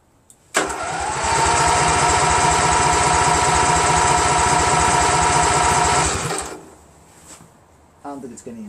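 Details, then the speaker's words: Craftsman GT6000 garden tractor repowered with Briggs & Stratton Vanguard 16HP horizontal-shaft engine, first start attempt; starter churns about three even beats a second for five seconds, never catches; crank no start, failed fuel pump delivering no fuel. "so I'm gonna crank it and see I'm gonna take a while for it to get any fuel of course you dope so yeah I'm gonna fly I don't even know if it's getting any gas yes"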